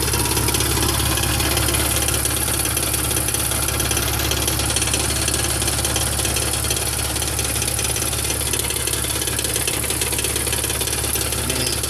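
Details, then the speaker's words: 2001 BMW E46 at idle, microphone under car, just passed smog: steady fast metallic rattle about three a second; owner suspects failing catalytic converters, but holding the pipes down does not change it; source undetermined. "Alright guys, 2001 E46, got a rattling noise. Sounds like it's the cats that are basically going out after just passing smog."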